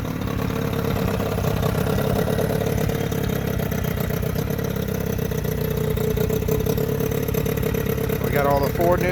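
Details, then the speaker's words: Johnson 9.9 two-stroke outboard after carburetor cleaning, fuel system work, new thermostat and cover, running in reverse: steady, even buzz with no misfire or stumble; running cleanly with a little smoke. "in reverses she runs pretty damn good give her some beans"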